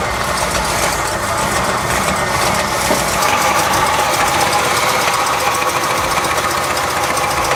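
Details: 1977 Oldsmobile 442 barn find, first start in 30 years after installing a new fuel pump fed from a gas can: engine catches and holds a fast, fairly even run with a steady exhaust beat, no knocking or stumbling; normal running.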